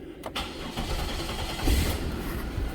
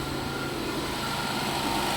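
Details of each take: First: 2000 Chevy Impala after fitting four identical bolts: starter catches quickly, settles into smooth even low idle with no clatter or ticking; normal start and idle. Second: 2000 Chevy Impala at idle, brought in for a suspected water pump coolant leak after someone else worked on it: fine busy rattle riding on steady idle, water pump pulley clattering on loose bolts.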